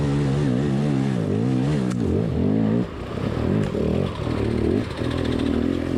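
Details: Beta motorcycle revving with a warbling, wavering tone that swoops up and down with the throttle, likened to a drowning dolphin; an abnormal noise of unclear cause.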